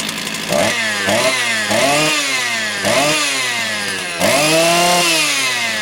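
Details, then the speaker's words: Motor Sich 270 chainsaw with new ignition coil, carburetor cleaned and set two full turns on each screw: blips up and drops back about five times, clean rise and fall with no stumbling or hunting; idle holds stable. "я вам скажу налаштування вгадав навіть не буду її дорегульовувати дав по два повних оберта по 360 градусів бачите холостий тримає стабільно нічого не гуляє"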